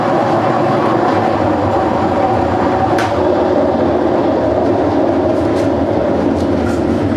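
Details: GE (General Electric) washer running: loud, steady rumbling churn with rough clacking texture through the cycle; bad transmission (also described as a bad bearing) that needs replacing.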